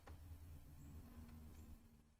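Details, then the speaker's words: HP laptop that will not turn on, supply measuring 19.3 V and power light blinking: on pressing the power button, a low steady whirr runs about two seconds then fades to nothing; the fan spins up then stops. "let's press the power button the fan is spinning and then the fan stopped"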